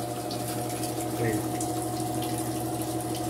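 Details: Mueller Energy 8 kg washing machine on its first wash, levelled: a steady motor hum with water rushing out as the spin speeds up and throws out excess soap. It runs even, with no grinding or knocking.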